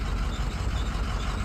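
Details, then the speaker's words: Cummins 5.9L diesel in a sweeper, after a crank-no-start: shorted intake manifold sensor had cut the 5 V sensor supply, and with it unplugged the engine fired right up; deep, steady rumble, even idle, no misses or knocks. "So right away I cranked the engine, and she fired right up."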